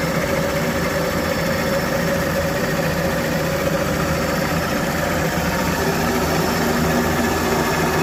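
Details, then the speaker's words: Engine run for the second time after sitting a long time, warming up and still running lean. Steady, even idle with no knocks and constant pitch. Normal warm idle, though it cuts out at tick-over from a missing idle control valve. "Fantastic. Let's let that warm up a bit now."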